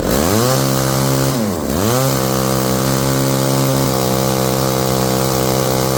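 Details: Old chainsaw-powered winch after carburetor cleaning, warmed up: clean, steady two-stroke buzz that dips briefly then returns to an even high speed; normal running.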